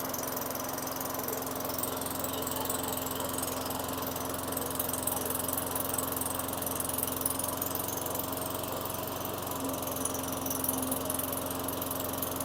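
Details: 2003 Craftsman mower, Tecumseh 4.5 hp 148cc engine with new correct carburetor, after raising idle by moving the governor tab forward and setting the throttle set screw: steady, even hum, constant pitch, no surging or hunting; normal idle at good RPM.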